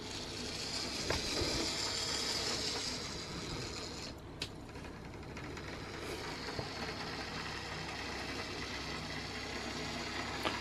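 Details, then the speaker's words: Lima OO-gauge class 73 model locomotive (73129 City of Winchester) on track after full service, with bearings oiled; quiet, even whirr with steady light gear ticking at slow speed, no stalls or surges: smooth slow running. "so let's put her back on the track and we'll see how she sounds and Prof now so here we go first of all how's that for slow running not bad for"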